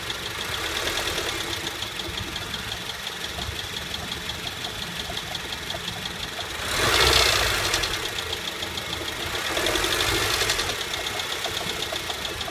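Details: 2008 Honda Civic at idle, noise starting as soon as the car is turned on: steady knock about four per second, swelling briefly twice; AC compressor bearing went bad and later seized, fixed by replacing the compressor.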